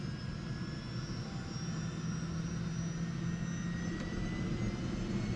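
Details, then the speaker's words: Second manual start of AS350 B2 helicopter turbine: starter on, twist grip to one third travel at 10% NG, engine ignites, oil pressure and temperature rising, starter released at 40% NG; even roar with whine rising in pitch as it spools; normal start. "here it ignites you also see the bottom screen on the top of the gauge that's the oil pressure and temp you see that it's increasing watch the ng coming up to 40 that's when we release the uh starter"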